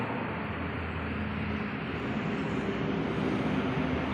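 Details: 3500W brushless hub motor e-bike wheel after re-tying and refitting a detached sensor and new wire connector: smooth, steady run, even low hum with soft whirr, no knocks or jerks.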